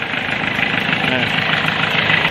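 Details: 2005 Kia Sorento D4CB diesel, hard-starting case (needed throttle to start; DTCs P1616, P1183, P1188, P1190, P0193) marked solved: ticks over evenly with a steady hum and no knocks or misses; a smooth, healthy idle.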